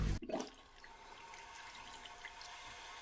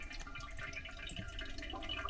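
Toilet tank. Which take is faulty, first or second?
second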